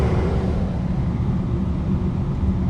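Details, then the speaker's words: Propane furnace after gas valve and control board replacement, running alongside gas fireplace: steady deep even burner roar, no surging or popping; manifold pressure holds 9.7 within 8–10 range, burning good. "the door says the minimum is eight and maximum is ten so uh we're in there it's burning good"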